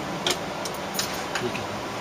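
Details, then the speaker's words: 1965 Buick Riviera with a newly installed electronic flasher replacing the old mechanical one: sharp, even clicks about three a second as the turn signal switch is on and the lights flash, working normally. "can hear it's clicking when I turn on the turn signal switch and the lights are flashing"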